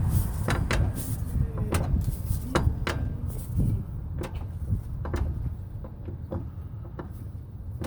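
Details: 2006 Nissan Frontier: sharp, irregular clunks over a low rumble from a worn driveshaft U-joint, often mistaken for a transmission problem.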